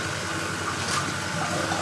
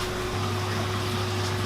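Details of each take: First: New Maxspect 350 twin wave-maker pumps on a single controller with two power supplies, reef display tank, first switch-on after installation: mostly rushing, gushing water with a faint motor hum, no buzz or rattle. Normal operation. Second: Aquarium wavemaker pumps (Gaia 150 50 W and a 40 W unit) run with a steady, unusually loud low electrical buzz and a fixed higher hum, with no speed changes.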